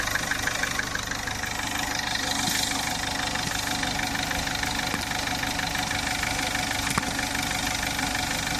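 Engine idling with a steady light ticking, about three per second, over the hum; something's off but no clear cause.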